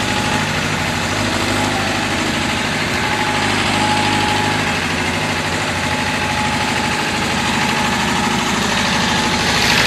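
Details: David Brown diesel tractor, which had been hard to start (a flat battery was questioned, throttle linkage checked): steady, even diesel clatter at a settled idle with no misses or odd knocks; running normally.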